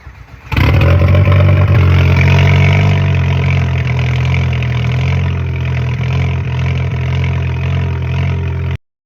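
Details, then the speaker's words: 2010 VW GTI with a rebuilt engine after timing chain tensioner failure and a new water pump: deep, slightly uneven idle with a steady loping beat; constant cylinder 4 misfire, intake valves and timing okay. "So, the things we know, we got a constant misfire on cylinder 4."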